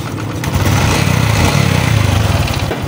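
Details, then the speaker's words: Honda XRM125 FI engine idling: rapid, even knock on the idle beat; mechanic suspects piston knock, also checking timing chain slack and connecting rod, another shop said connecting rod is damaged. "So ganito may Diaz, meron ang knocking yung kanyang sa piston."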